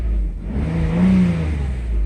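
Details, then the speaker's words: Mercedes SL600 V12 with an overhauled throttle body for an ASR fault, known intake vacuum leaks: a light gas-pedal blip makes the pitch rise smoothly and settle quickly without stumbling, healthy throttle response. "I have a bunch of vacuum leaks I know it and I already smoked it and I know that I have a problem there but other than that there's your acceleration very happy"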